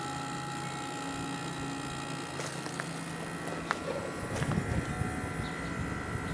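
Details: 1989 Carrier International Series window air conditioner with GE fan motor, compressor just started and beginning to cool: steady low hum with a faint even tone over the fan's air rush, no knocking or rattle, running smoothly.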